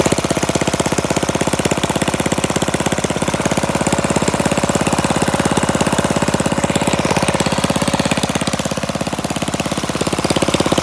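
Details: Flathead Briggs single-cylinder minibike engine, no muffler, after carburetor mixture screw set about a half turn out: sharp evenly spaced barks holding steady speed; normal running.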